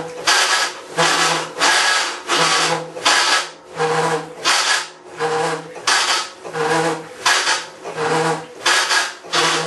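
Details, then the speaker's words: Maytag Centennial Commercial Technology washer, about 14 months old and deliberately overloaded for the demo, recorded from about five feet away during rinse agitation: rough gritty churn rising and falling about every 0.75 s with each stroke; grinding, cause unknown. "well I was interesting wasn't it I think I lost at least 10% of my hearing over that"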